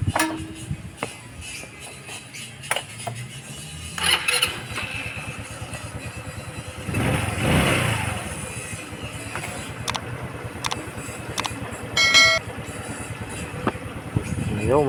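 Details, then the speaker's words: Rusi Gala 125cc scooter after its carburetor needle clip was moved back from position 2 to stock position 6 to cure hard starting. It now fires on the first short crank and runs evenly, a clean one-click start. "guys so one click na lang one clip na lang siya bilis na siya maart"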